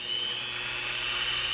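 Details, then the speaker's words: Little Machine Shop belt-drive conversion on a mini mill, just installed: constant high-pitched whine from the DC motor over a soft cooling fan hiss, pitch steady throughout; normal running. "there's a high-pitched whine from the mayor of DC motor but it is nice having them don't drive very much"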